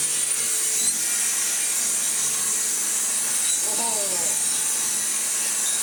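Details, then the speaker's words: Hoover Junior 1334 upright vacuum, first run before refurbishment: steady piercing high-pitched screech over the rushing hum; something worn over the brush roll or motor, possibly both, suspected bearing. "alarming noises aside all the it's working now there we go"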